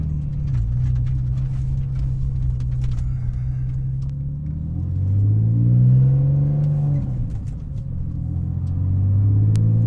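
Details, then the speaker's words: 2001 Porsche 996 Carrera 4 on its first drive after rebuilding 2nd gear for a failing synchro, not yet warmed up: engine pulls, revs dip and climb on the 1-2 upshift, no grind or clunk; shift goes in clean. "was the first second gear shift right there it did it"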